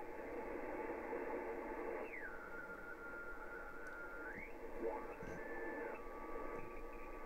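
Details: HF receiver on 40m: hiss with a tone sliding down, holding, then sliding back up and repeating; unidentified nearby interference, owner suspects something running out of energy and charging itself up again.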